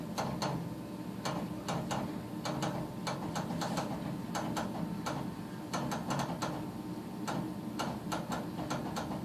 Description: Doesnt fire every cycle